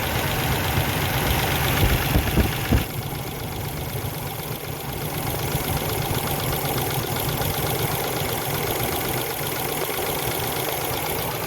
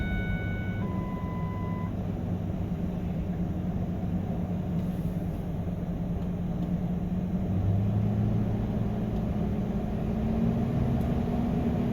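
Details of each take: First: 2000 Ford Excursion, Triton V10, at cold idle after a spark plug and ignition coil replacement: a fast, light tapping, about three per second, over a steady idle. Owner suspects a lifter or cam follower; the tapping stops once the engine warms up. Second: 2000 Ford Excursion Triton V10 idling after new spark plugs and ignition coils and a replaced steel line: steady, even low rumble, no misfire or leaks; owner notes a valve tapping (lifter or cam follower?). Normal idle.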